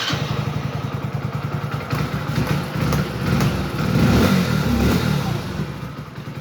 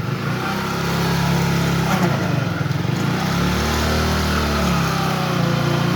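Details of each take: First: Hero HF Deluxe BS6 single-cylinder after full engine rebuild with bearings replaced for a 1st/2nd gear noise. It starts, settles to a steady idle with a brief blip, and is put in first gear with no rattle or knock. Normal start and idle. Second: Hero HF Deluxe BS6 motorcycle, about 20,000 km, warmed up, in first gear with slight throttle against the brake: rough, uneven growl over the engine beat; 1st and 2nd gear noise from a worn small gearbox bearing letting the shaft wobble.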